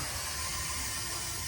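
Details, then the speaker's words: Ford F-350 Powerstroke after SPE Motorsports fuel filter kit install, key-on priming after fixing drain valve: steady loud hiss and whir as fuel fills the empty new filters; fuel pump priming noise with air in filters. "still making noise so still a lot of fuel moving just hoping I don't get like another leak out of nowhere I mean sounds like the filters are filling up I guess"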